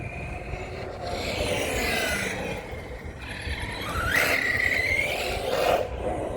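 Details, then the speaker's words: Kagama RC car center differential: scraping, gritty drivetrain noise with whine rising sharply on throttle, fine at low speed; fluid suspected leaking out or overfilled, center diff likely needs replacement, not confirmed. "Yeah, something's wrong with the center diff on this car. So, I'm going eventually have to probably order a whole new one."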